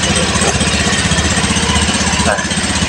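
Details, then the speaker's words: Honda Beat FI ESP scooter engine rebuilt from scratch after someone else's botched job, new piston still tight, running in: steady, even fast-idle putter with a clean firing beat, no wobble, knocks or the earlier rattle; normal running. "Oke, guys. Ini sedang dalam kondisi ran dulu ya. Sebentar lihat saja putaran mesin aman, tidak oleng ya."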